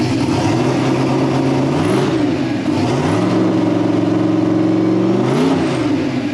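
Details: LS-swapped V8 "Bob" just converted to methanol, warming up after first startup: smooth even idle that swells cleanly through a few blips and settles back without miss or knock; normal idle and revving.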